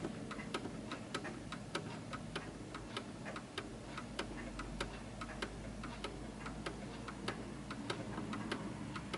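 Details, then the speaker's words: Rare 1940s Hermle (FHS) 8-day German Art Deco chiming clock set on a wedge, out of beat: uneven ticking about two to three per second with unequally spaced beats, struggling before the pendulum stops; fixed by recentering the pendulum. "as you can hear it's ticking more than talking and it will come to a [Music] stop and you can hear it's struggling and it comes to stop"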